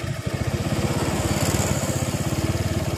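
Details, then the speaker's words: Suzuki Nex carburetor motorbike, hard to start when cold, with the TPS sensor reconnected raising idle rpm: quick, even single-cylinder putter at about fourteen beats a second with no misses; normal idle. "When you take it off, it goes down, yes, the RPM, then when you put it on, it goes up"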